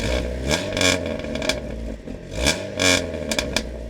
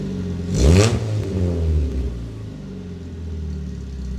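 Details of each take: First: Dodge Neon with worn muffler before swapping: engine blipped a few times, exhaust turns harsh and raspy as revs rise and buzzes on the way down. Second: Dodge Neon with new resonator fitted and no muffler: deep throaty exhaust with two sharp blips and steady low burble between, no droning; sounds much better than before, worse once a muffler was tried.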